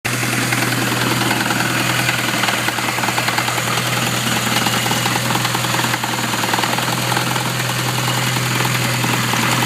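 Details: Supercharged classic Mini petrol engine with loud, busy knocking over its steady hum; owner suspects supercharger bearing, not confirmed.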